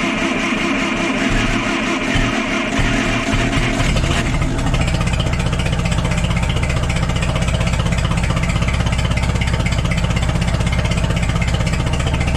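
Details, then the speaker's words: Cheap forklift engine idling as the distributor bolt is loosened and the distributor turned to advance the timing: a lumpy, uneven idle from retarded timing settles into a steadier, even beat. "I thought it was off, and a bunch of you commented on the last video that sounded retarded, so I will try to advance that right now."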